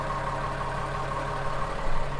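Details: Cummins 5.9 12-valve diesel (Case 5130 tractor) just after starter replacement: starts and settles into a smooth, even idle with a steady low thrum, no knocks or misses; normal running.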